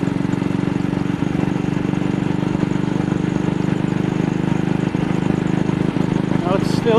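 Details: AJS single-cylinder motorcycle riding after carburetor slide cleaning and throttle cable rerouting: steady thump with irregular dropped beats, misfiring at slight throttle opening and still wider; throttle also sticking.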